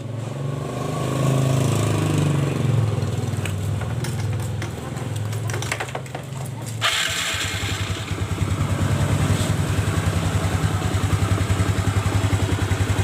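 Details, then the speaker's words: Yamaha Mio Smile scooter running after repair; the rough CVT noise and rear wheel not turning under throttle were traced to a loose front pulley nut on a worn shaft, refitted with a washer: steady, even idle with no rattle or slap from the CVT; healthy. "Gimana teman-teman? Udah halus ya suaranya, nggak seperti tadi."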